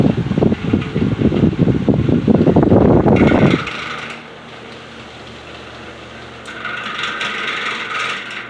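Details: Heavily worn Patton U2-1479 14-inch floor fan on its first test run: spins up with a rough, rattly rumble, then coasts with a thin scraping whine. The motor bearings are dry and worn and want oil, and the washers likely need replacing. It spins freely and is not seized.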